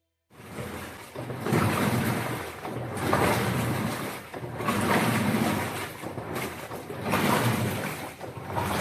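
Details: LG Turbo Drum washing machine, rat-damaged wiring repaired and jammed vacuum water-level sensor readjusted: rhythmic swishing surges roughly every two seconds as the drum churns water; wash motor driving agitation normally.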